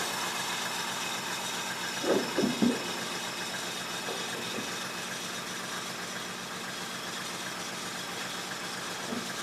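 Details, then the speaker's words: 1995 Mercedes E300 idling cold: idle speed too low, uneven and lumpy under a steady hiss; idling it up slightly sounds better. "Idle is rough when cold. It's just too low. It's idling too low."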